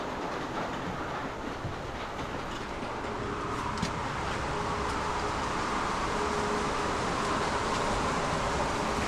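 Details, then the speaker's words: Farm hog barn feed augers (Shelmar side two) started after fitting new feed lines: a little bouncing at first then smoothing out to a steady, even rattling rumble with no binding as feed is sent up; normal auger operation. "A little bit of bouncing there, but it's smoothing out. All right, sending feed up."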